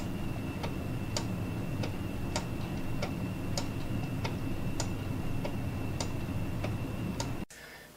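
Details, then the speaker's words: Wooden geared clock made of Brazilian cherry, gears between five layers, running normally with an even, crisp tick-tock at about 1.7 beats a second; keeps good time. "this is a third wooden gear clock that I made quite a few years ago it actually is made of Brazilian cherry it's a beautiful wood there's actually five different layers that I'll show you in a minute that all the gears are located between and you hear it ticking it keeps good time"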